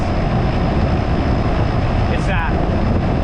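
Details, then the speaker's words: Home air conditioner after replacing a faulty capacitor: fan whoosh over a steady low drumming hum from the compressor, with no rattles or clicks; it runs normally, with the big line cold and the small one hot. "i hear the compressor running there's a little bit of a different tone when the compressor is running versus when it doesn't"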